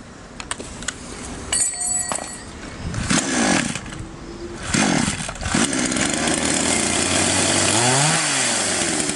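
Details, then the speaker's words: Chinese copy Stihl MS660 chainsaw after carburettor adjustment (screws set two turns out, front screw opened further) to cure stalling on throttle: clean, crisp revs rising and falling back to steady idle, no bogging; running normally. "Таким образом, инструмент работает в обычном режиме. Мы завершили настройку."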